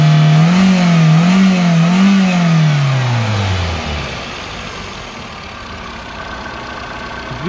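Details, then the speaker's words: Japanese contract 2004 Toyota Vitz SCP10 1SZ-FE engine, automatic, 2WD, tested before dismantling: revs rise and fall smoothly in even waves, then settle and wind down with no misses or knocks; no smoke, healthy. "работает ровно. Газ не идут. И не димит."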